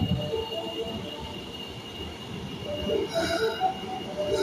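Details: Osaka Metro train arriving at platform 1 of Dainichi Station, bound for Yaominami: a high, sharp wheel squeal rises above the rail rumble as it slows; cause unclear.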